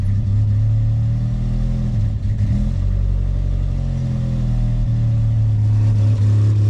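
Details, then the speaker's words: Mk2 Jetta after sitting about five months, possibly bad gas, with fuel topped up: caught and holds steady low drone with slight speed wander, no knocks or misses; running fine, seems to need more fuel pressure. "she's fine the CRA wi sounds good just needs a little bit more uh fuel pressure sounds like"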